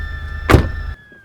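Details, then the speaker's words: Mercedes E350 convertible (A207/W212): short electric motor hum with a brief mechanical clunk as the power wind deflector rises at the push of a button, then a clean stop; normal operation. "these two will work together to pass air over the car and keep this basically turbulence free in here which is a problem with convertibles"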